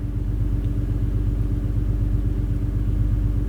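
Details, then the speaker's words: G37 after its exhaust leak was fixed: a steady low idle rumble with an even pulse and no ticking or puffing. There is less engine noise, though the exhaust is still loud. "the car is quieter not the exhaust the exhaust is just as loud but there's like less engine noise interesting"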